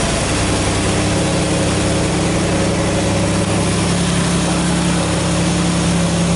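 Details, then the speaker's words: Fuel-injected 1986 Pontiac Firebird, cold start without touching the gas: steady low engine drone with an even idle, no clear cranking heard. Owner says it takes a while to fire when cold and suspects injector cleaning is needed. "It takes a while to fire up though, just when it's cold."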